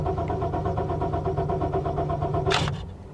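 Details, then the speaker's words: Car at a salvage auction, started with the wrong key, green security light flashing: catches and idles with a steady pulse for a few seconds, then cuts out abruptly; immobilizer shutoff, starts with the other key. "yeah it shuts right off it's got some kind of a security issue with the key"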